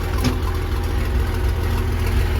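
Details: Versatile 800 tractor diesel running with the roughly 50-year-old muffler removed: deep loud open rumble with steady throb; unmuffled exhaust.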